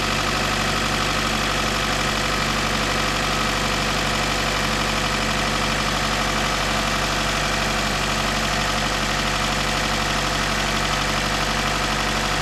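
Constant light metallic rattle riding over a steady idle, consistent with lifters starved of oil pressure through a loose timing chain guide.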